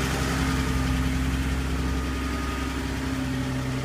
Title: Porsche 930, Possible Valve Train Noise at Idle - 2